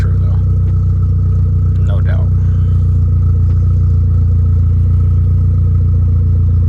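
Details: Neon SRT-4 with big turbo at first startup after fuel pump wiring, immobilizer fix and fuel tank install: steady, deep idle with a firm even pulse, no knocks or rattles; engine settles smoothly and sounds healthy.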